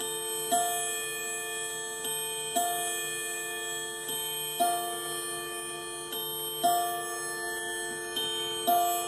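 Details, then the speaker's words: 1980s Leick solid-oak pendulum quartz clock, Tochigi Tokei movement, chiming 11 o'clock after reassembly: single clear metallic strikes about every two seconds, each ringing and fading evenly; normal mechanical gong chime. "nice natural sound of a real metal gong and unlike the electronic sounds that come from speakers they are not bad they are sometimes pretty good imitations of that natural sound"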